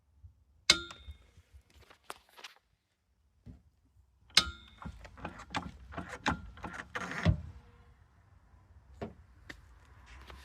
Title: Why is this jack making this noise ?